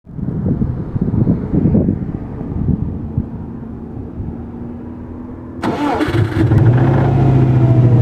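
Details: Subaru EJ205 cold start: rough, uneven clatter over idle with a knock, suspected but unconfirmed bearing; cold oil pressure almost 6, warm pressure now 1.6–1.7 versus 1.9 before.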